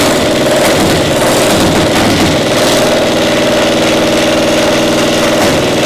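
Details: Caterpillar Diesel 70 two-cylinder pony motor under restoration: loud run with uneven, stumbling beat, firing dropping out now and then despite a nice blue spark; spark plug suspected, intermittent misfire traced to faulty magneto cap.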